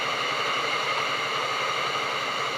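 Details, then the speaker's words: Tefal Access Steam Force DT8270G0 handheld garment steamer (2000 W, 200 ml tank) switched from delicate into turbo steam level: constant, even hiss of steam, more output, no sputtering, gurgling or pump rattle; normal steam output. "now let's go into the turbo mode pressing on the turbo mode back produces more Steam"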